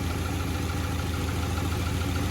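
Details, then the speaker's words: Cheap Honda Accord with a dead cylinder, not caused by the plugs; low, lumpy idle with an uneven throb, a rough idle; owner suspects injectors or electrical, or a possible engine teardown. "Could be my injectors, because if the cylinders aren't going to fuel, then I explained."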